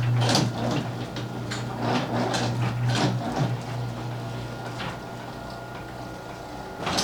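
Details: Garage door with opener, after noise fixes: even motor drone with only soft roller clicks as the door travels, no squeals or rattles; runs quietly.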